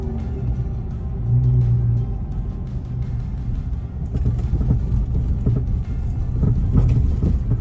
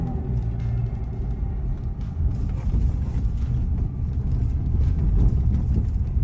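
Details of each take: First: 2012 Ford Escape driven slowly over bumps in a parking lot: sharp pops and rattly clunks from the front suspension, before repair; worn stabilizer (sway bar) link ball joints. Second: 2012 Ford Escape after replacing the front stabilizer links, road-tested over parking-lot bumps: low, even driving rumble, earlier popping or clunking gone.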